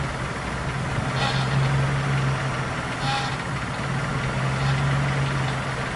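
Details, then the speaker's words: GAZelle with Chrysler engine, after fuel pump and fuel filter replacement (previously lost power and pump buzzed loudly), idling: steady low hum with only soft pump whir, no constant buzz; normal fuel pump hum. "подключаем басов сейчас нет такого постоянно вооружения есть просто вздохи насоса от того что он счастлив"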